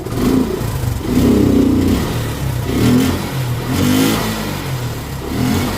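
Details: Motorcycle that won't start; uneven, surging revs swelling and sagging every couple of seconds, engine won't settle; owner suspects a clogged air filter starving it of air, cause not confirmed; hard starting and rough running.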